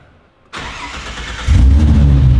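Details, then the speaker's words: Ford Fairlane V8 after new mods, earth wiring rework and dyno tune: short crank, catches cleanly and settles into a strong, deep, even idle; normal engine start, starting much better than before. "It starts so much better. It starts so much better. The question is the idle back? that sounds sick. It sounds angry."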